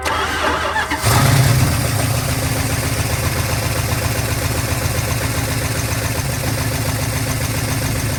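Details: 1970 Dodge D100 383 big block, sat 30+ years: short crank, catches in about a second, settles to steady even idle with no misses; runs fine.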